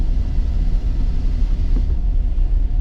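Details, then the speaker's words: Chevy Express van on a test drive after exhaust manifold replacement: steady low road rumble with no ticking or puffing leaks, quiet enough to talk without yelling, unlike how loud it was before the repair. "The fact that I can just sit here and talk without like yelling over myself it just goes to show you how loud that damn thing was. But so far it sounds great."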